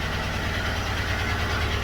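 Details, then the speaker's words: 2013 GMC Sierra Crew Cab 5.3L V8, 198,000 miles, idling with an uneven, lumpy pulse and faint tick from a stuck lifter on cylinder 6; valve cover off showed one valve not opening; fix planned: replace all lifters, camshaft, timing chain, oil pump. "But it's got a stuck lifter, cylinder 6, so I'll let you see what it sounds like. Not good."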